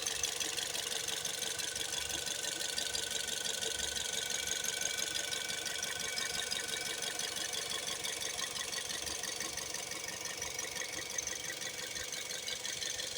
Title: Toyota 1NZ FE Vios 2008 2012 Engine Knock, Rattling Noise, Vibrate